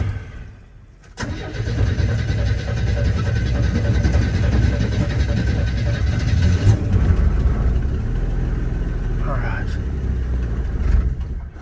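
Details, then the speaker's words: 1981 Chevy C10 cold start just after a spark plug change, with the foot on the gas; one old plug was wet with oil. It catches after a short crank and runs low and uneven with a wavering beat, then fades out; stalls after starting, a hard cold start. "So I got my foot on it. There it goes. Stops again. Come on. Come on, stay going."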